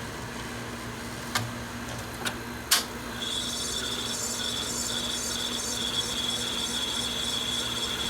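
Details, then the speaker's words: Sony VO-5800 U-matic VTR in full fast forward with an Ampex tape: a few clicks, then a thin steady high-pitched squeal as sticky-shed tape rubs the head. "You can hear the tape squealing. Sticky shed syndrome. Crap. Ampex tape."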